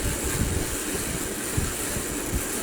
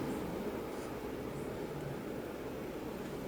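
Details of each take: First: Dingy old ceiling fan before cleanup, whose light switch no longer works and only one light works: rough, continuous grinding rumble with uneven low thumps and steady hiss that stops and restarts; ceiling fan grinding noise. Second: Bedroom ceiling fan after oiling the motor: only a faint steady hush with no scraping or grinding; the earlier rackety noise is gone and the motor runs quietly and smoothly.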